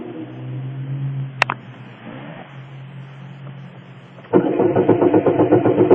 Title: Now it wont start